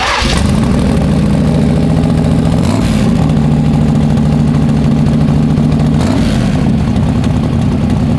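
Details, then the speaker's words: Freshly built, carbureted 421 small-block Chevy in an S-10, just started and still cold: a lumpy but steady idle with a couple of throttle blips. It runs cleanly; normal warm-up running. "It'll sound better as it warms up."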